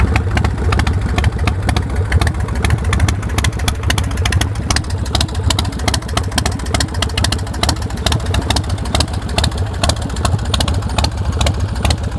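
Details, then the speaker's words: 2003 Swift Bar Chopper V-twin motorcycle with Vance & Hines exhaust: lumpy even idle with quick clean throttle blips, good throttle response, no misses or mechanical knocking; healthy engine. "Real good throttle response. No missing or smoking or engine noise or any of that stuff."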